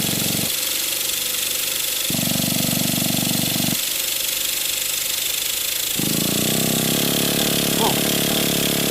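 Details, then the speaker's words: Nitro RC monster truck engine (Traxxas T-Max or HPI big block), started after 10–15 years of storage, a little cold: high buzzy whine in bursts as the throttle is blipped, then a steady idle; owner says the fuel must still be good. "fuel must still be good little bit cold nature of these engines are"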